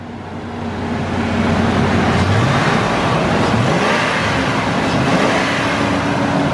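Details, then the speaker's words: Cheap Ford F-150 after a new ignition coil was fitted: engine climbs and settles smoothly through the revs, even firing with no stumble or miss; now running on all cylinders. "I think she has all her cylinders and is ready for our next challenge so the hammer down Motorsports 150 dollar f150 is now firing on all cylinders"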